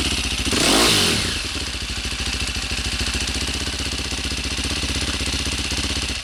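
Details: Cold single-cylinder engine after installing a DJH cam chain tensioner: after a blip it settles to an even thump, about four beats a second, with no chain rattle. Rattle is worse hot off the track. Normal idle.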